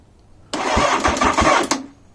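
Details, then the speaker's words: Engine after ignition fuse and dodgy connection work: about a second of cranking with even low pulses, no catch; the owner says longer cranking brings a horrendous rattle, and cam chain tightening follows. "I get a turnover now if I leave it on too long I get a horrendous rattle listen"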